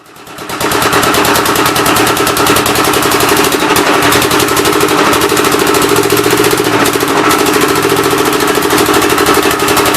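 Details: Rebuilt engine on its first start attempt, with temporary ignition and fuel fed by hand: a fast, even firing beat with loud clatter and a hissing puff each stroke. The intake valve seems to be leaking but not hanging open; the plan is to pull the head.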